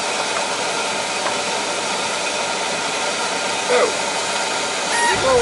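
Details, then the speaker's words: Oil-fired boiler burner after running out of oil, line bled: loud, deep, steady roar with no pulsing, not choked; sounds like an oversized nozzle, to be replaced with a smaller one. "I'm going to put a smaller nozzle sounds like a monster sounds like a big nozzle y'all doesn't seem to be choked so that's good"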